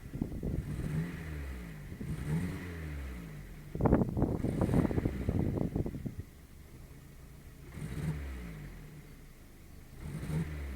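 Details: Skoda Fabia 1.4 MPI with uneven, lumpy idle broken by short throttle blips, a misfire traced to a bad third-cylinder injector.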